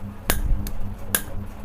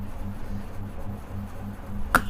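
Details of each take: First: Coffee vending machine AC solenoid valve given AC supply on the bench; single clean snap on power-up, then faint hum; solenoid valve clicking normally. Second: Coffee vending machine AC solenoid valve on AC supply: faint mains hum, then a sharp loud buzzing rattle when energised, unlike the other valve's single click; cause unknown.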